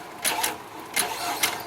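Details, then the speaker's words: 2009 Nissan Frontier, manual transmission, no-crank fault: clutch safety switch under the dash pushed in by hand, starter gives quick, even whirr bursts about every half second with no clicking; engine cranks normally, switch not being actuated was the cause. "And you can hear it cranks the engine just fine."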